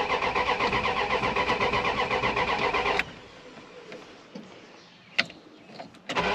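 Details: Dodge Ram 1500 project truck, towed in, first start attempt with key, battery charged; owner unsure of original problem, plans to check fuel pump. Steady cranking about four beats a second for three seconds, never catches, then clicks: cranks, no start.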